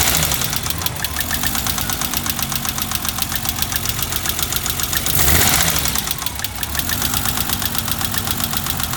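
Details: BMW 325i E30 after fourth valve adjustment: uneven idle with fast light ticking, one or two valves ticking louder than the rest; rough idle, owner suspects valve clearances still incorrect.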